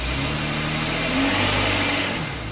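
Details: 2011 Jeep Wrangler 3.8 V6 with P0301-P0306 misfire codes, after replacing a faulty high-mileage spark plug: short throttle blip, pitch rises and settles smoothly with no stumble or popping; running clean on all cylinders.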